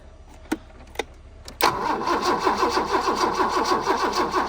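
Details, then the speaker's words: Abandoned BMW E30 with 10-year-old gas, cranking while checking fuel line: a few clicks then steady rhythmic cranking about two beats a second, never catches; line found dry, fuel issue suspected. "Let's uh so is there no fuel no it's dry so it's a fuel issue yeah that's good hahaha still nothing one more time"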